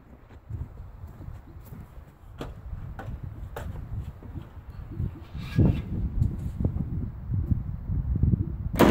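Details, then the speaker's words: 1980 Michigan Clark 55B loader with Detroit Diesel, newly rewired, cranked from cab switch: slow, uneven cranking churn that never fires; turns over but won't start, battery needs charging. "i'll attempt to start it again tomorrow but the good news is the thing turns over"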